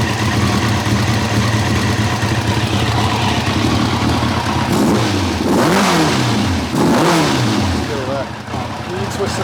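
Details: 1990 Kawasaki ZZR1100, suddenly running on three cylinders: lumpy stumbling idle that spits and lags when blipped, sounding like it spits back through the carb; swapping plug leads two and three moves the fault, number two cylinder cold, cause unconfirmed.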